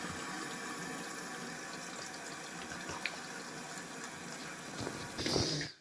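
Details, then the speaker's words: Toilet cistern refilling after replacing the broken syphon diaphragm that stopped it flushing, water turned back on slowly at the valve. A steady hiss and trickle with no gurgle or hammer, then shut-off; it fills with no leaks, a normal refill. "So that's now full of water. It's filled up and we haven't got any leaks."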